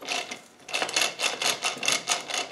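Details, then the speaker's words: Old Land Rover LT230 centre differential reassembled with its shafts but without thrust washers, turned slowly by hand: rhythmic dry metallic clatter bursts, several per second; worn thrust washers. "I thought I'd re reassembled the old one without the thrust washers and show you what it's like with the actual shafts in so there's the one no thrust washes that were all"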